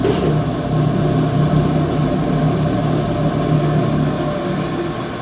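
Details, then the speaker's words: Rheem Prestige condensing tankless combo boiler, first firing on domestic hot water at a 120° setpoint. Burner, exhaust fan and pump on; a low, steady hum with no rattle or surging. Normal firing. "fan motors exhaust fan motor has kicked on so it says we're doing domestic hot water 120 degrees it says the burner is on communication status is normal this says the pump is on"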